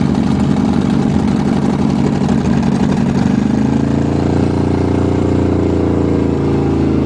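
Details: Cheviac demo-derby car, cold start on choke at 2 degrees above zero after fuel-line work: fast plastic slapping tick over the cold idle for a few seconds, then eases; fan blades striking the plastic radiator shroud after too many demo derbies.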